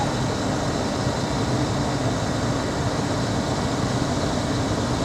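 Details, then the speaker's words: 2004 Dodge Ram 1500 pickup, 125,000 miles, idling after start with an initial puff of white smoke (possibly from sitting): even, steady exhaust rumble with no ticks, knocks or misfires; sounds fantastic. "she's a work truck I got to keep telling myself she is a work truck and listen to that oh that's good she sounds fantastic"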